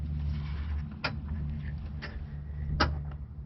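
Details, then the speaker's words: 2005 Ford Explorer rear liftgate, engine idling: three sharp clicks as the latch tries to release when the button is pressed. The full hatch will not open; the manual lock was tried without success. "whenever you hit the button to open the full the full hatch you hear it clicking"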